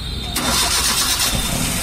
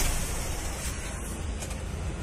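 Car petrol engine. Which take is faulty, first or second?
second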